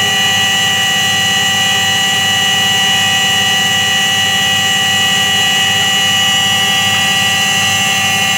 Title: Как гудит подшипник стиральной машины